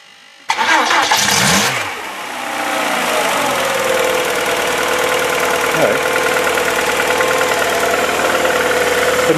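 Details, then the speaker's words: VW Polo that had a coolant leak and would not start, just after replacing the ignition leads and all four spark plugs: short crank, instant fire, a blip, then a smooth even idle before warming toward 90 °C. Normal start and idle. "petit coup d'accélérateur au démarrage bon de tour maintenant va pouvoir laisser monter en température"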